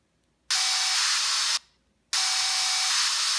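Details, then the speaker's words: 38mm Apple Watch Sport speaker gives two harsh, muffled bursts of hissing static instead of its normal alarm or stopwatch sounds; water damage suspected, but restarting the watch fixed it. "so earlier the uh alarm was making a strange sounds yeah like that crazy sound that I would oh who yeah it's all muffled okay"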